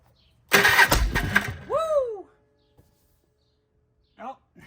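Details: 1995 Polaris Trail Boss 250 two-stroke ATV, not run in a while, crank no start: rough cranking then one sharp bang as it tries to fire, blowing a part apart, then falls quiet; backfire when starting.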